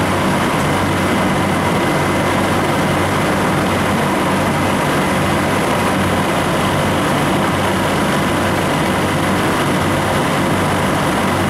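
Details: Refrigeration unit on a milk tank, likely R434A, switched on with a solenoid click after replacing the internally leaking liquid line solenoid valve and drier: steady even hum, no knocks or hunting; running smoothly.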